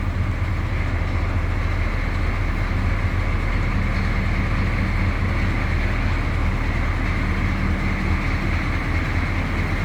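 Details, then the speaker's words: 1982 Chevrolet C10 Silverado, 6.2L diesel, heard from the rear of the truck: deep, steady rumble with an even low clatter holding a constant beat at idle; healthy diesel idle. "Gotta love that sound. Have any experience with these older diesels growing up?"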